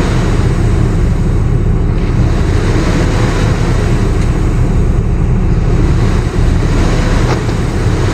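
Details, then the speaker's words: Sinotruk Howo water tanker, Weichai WP10 380 hp Euro 5 diesel, which died while driving and cranked without starting; after swapping a known-good ECU: steady, even low rumble at constant speed, no knocks or misses; faulty ECU held exhaust and in-cylinder brakes on. "Ito po nag-try kami ng ECU ng iba. Umandar na yung makina po."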